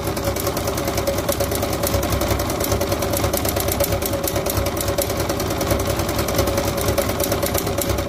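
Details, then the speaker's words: Single-cylinder vintage motorcycle idling with a loud, rapid metallic knock on every turn; mechanic suspects a connecting rod knock from running on degraded oil and poor lubrication, engine must be opened, unconfirmed. "c'est ça ressemble vraiment à un bruit de de Biel à mon avis ton ton moteur il a roulé avec de l'huile pourrie pendant un moment et euh mauvais gressage"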